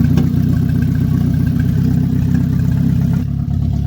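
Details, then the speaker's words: 2008 Toyota Prius with swapped replacement engine (original blown, catalytic converter missing), first run after the swap; loud deep raw drone rising briefly with throttle because the exhaust is not yet hooked up: engine running with exhaust disconnected. "Still gotta hook that exhaust up, you know what I'm saying?"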